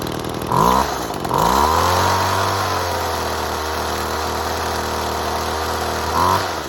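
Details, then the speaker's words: Two-stroke saw running 6-month-old unleaded 91 mixed 50:1, quarter tank, started with choke. After two throttle blips it settles into a smooth, even idle and revs cleanly with much less smoke and better acceleration. Normal idle. "way less smoke there's no smoke now is much better it's not going so fast acceleration is better"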